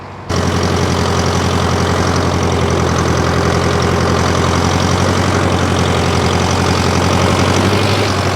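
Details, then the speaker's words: 1968 John Deere 500A diesel tractor (industrial 3020), revived after 10+ years parked, now put under improvised load: strong, even diesel clatter holding about four pulses a second without misses. A healthy engine pulling well. "this thing's running like a champ today I think I'm going to put a little bit of weight behind it and we'll uh see if I can get it under a load"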